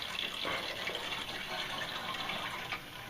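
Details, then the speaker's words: Hot water heating system bled at the return line into a bucket via a hose, boiler side closed, feed water entering through the automatic reducing valve: hissy, sputtering gush with irregular spits, then quieting as the trapped air clears from the loop. "You see, it's quieted down, so I already got some air out of the system."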